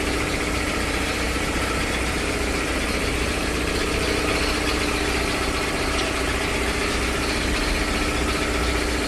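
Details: 3 HP LG-model air compressor after service (belt, filter, oil indicator and oil changed): steady, even pumping beat about two and a half per second, no knocks or squeal; running normally.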